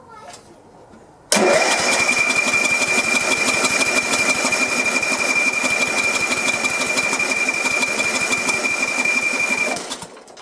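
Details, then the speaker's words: Sears LT1036 lawn tractor's Tecumseh engine, sat over two years, with carb cleaner and 2-cycle oil sprayed into the intake: about eight seconds of rapid uneven firing that dies away; nearly starts, leak and flame seen. "We're almost there. That was close."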